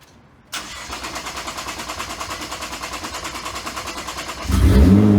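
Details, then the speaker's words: Nissan GT-R R35 just after installing two ANSU 330lph fuel pumps in a Visconti drop-in fuel basket, on the first test start. It cranks briefly, fires promptly and settles to an even idle, then takes a clean rev blip. Normal start. "Down the volume, wait in here and see if everything sounds good. Yeah, everything seems good to go."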